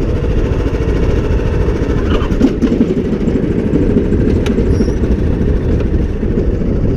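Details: John Deere D110 lawn tractor, running on choke with drive disconnected after fixing a no-crank fault, drones steadily at even pitch with no knocks or misses; normal running.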